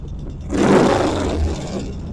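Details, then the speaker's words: 1975 Norton twin after fine tuning: brief throttle blip, crisp even roar settling cleanly, no misses or knocks; normal running. "All right, it sounds good. I'm going to let it sit for a while. Check for oil leaks."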